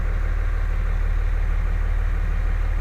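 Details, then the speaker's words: 2003 Dodge Ram diesel after replacing the Bosch MPROP/FCA fuel control actuator that caused idle surging and stalling: steady, even idle with deep low throb, no surging or hunting. "yeah I tell you what it was running scary and now we're talking smooth baby that's always nice when that happens"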